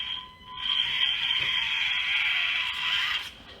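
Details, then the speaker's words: SCX24 Jeep JLU crawler with new Full Send +6mm front axles, run on the bench: steady even high motor and gear whine, no catches, surges or bucking; drivetrain runs smoothly without binding. "If there's any slop and they push inward, I think you'd get binding. I'm not seeing any bucking."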